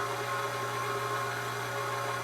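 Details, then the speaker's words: Mercedes GL450/GL550 front wheel hub spun by a geared RC starter: steady whirring drone and low hum from a worn front wheel bearing that has no play, matching the noise heard at 40 mph. "That's exactly the sound that I'm hearing at 40 miles an hour. So, just because the bearing's tight, doesn't have any play, doesn't really mean it's good."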